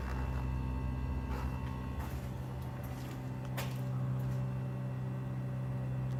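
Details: New Trane furnace heat pump system: low, steady drone with faint thumps and clatter, heat pump line seemingly vibrating on the joist or band board; humming noise.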